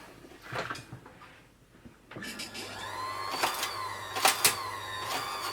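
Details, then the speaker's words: Janome Combi sewing machine/serger not driving: motor spins up to a steady whine with squealing and uneven clatter but the machine barely drives; motor drive belt too loose and slipping, adjusted by tensioning the belt. "motor spinning there and that's the sure sign of the belt slipping there"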